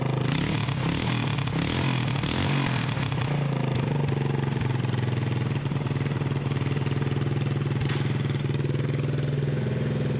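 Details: 1988 Honda TRX200SX single-cylinder engine just after full rebuild (cylinder bored .020 over, new crank bearings and seals, replacement case, JB-Welded stator cover): steady thumping idle about four beats a second, even, no knocks or rattles; runs like new.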